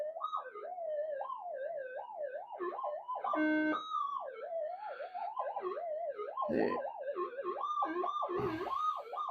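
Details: Minelab GPZ-7000 metal detector indoors, in noise cancel with gain lowered from 16, internal power supply cleaned up and shielded: threshold tone warbles irregularly with squealing peaks, from electrical noise in the room, which the owner suspects is AC harmonics.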